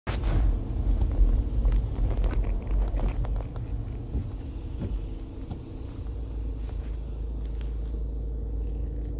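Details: Audi A4 2.0 TDI diesel with a low rumble and faint, somewhat uneven knocks about two a second on top; engine knocking noise.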